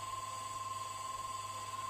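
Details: Single-phase 0.5 HP water pump motor after repair of a jammed shaft that had blocked the rotor, bearings changed: smooth steady hum with a constant high tone, no grinding or rattle; motor spins freely and runs normally.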